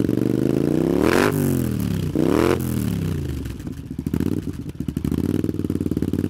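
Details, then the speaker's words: Honda CX500 cafe racer twin, finished project, just started: fires and revs twice with a clean rising note, drops to an even lumpy idle; sounds healthy, idle speed needs adjusting. "it sounds good doesn't it um the revs need adjus in a bit but other than that um it's spot on and it sounds quite nice as well"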